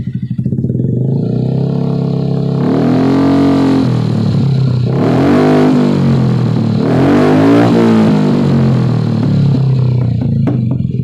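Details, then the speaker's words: Honda Beat FI scooter after CVT pulley replacement, standard setup with KPY clutch springs and Vario 125 main spring, kick start now works: engine revs up cleanly in smooth sweeps, no slipping, rattle or knock; CVT healthy. "Ya bisa dengar suaranya halus tetap ya."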